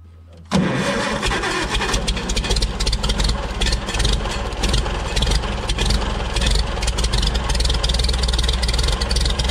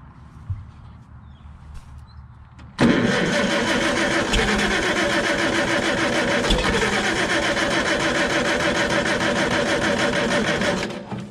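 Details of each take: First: Farmall Super C tractor, points ignition, no-start fixed by adjusting the breaker points: engine kicks over sharply and settles into a steady, strong chug without misses. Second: Farmall Super C tractor with points ignition and a no-start condition: steady cranking for about eight seconds without firing. The coil negative shows no voltage fluctuation, so the points are probably stuck closed or the circuit is shorted, giving no spark.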